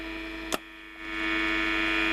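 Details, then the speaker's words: HMV Model 2148 radio from 1967, AM band switched on: steady mid-pitched hum with a few fixed tones, no stations, AM dead; oscillator transistor suspected, awaiting AF127 after substitutes failed. "That'll get the AF working properly, AM working properly on all bands. And now it doesn't."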